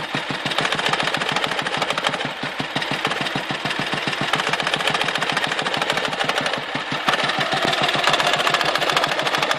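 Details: Dnepr motorcycle engine: hard even knock about six beats a second, rising and falling; intermittent, power drops and carburetor spits fuel when present, disappears before stalling or at high rpm; source not found.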